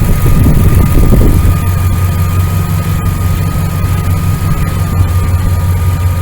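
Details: 1999 Dodge Ram 1500 5.9L V8 gas after new starter, belt tensioner and idler pulley: even, deep idle rumble with a faint steady accessory tone and no knocks or squeals; healthy idle.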